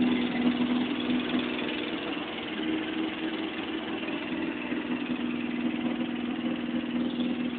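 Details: Engine after repair: a steady, even idle with a smooth low hum and no knocks, misses or rattles; the engine runs cleanly.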